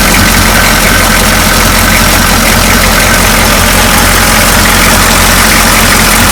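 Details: 6.2L diesel with an air leak suspected in the fuel lines (cracked rubber lines; clear line fitted between fuel filter and injection pump): loud clatter with an uneven, lumpy idle beat; rough idle, cause not confirmed.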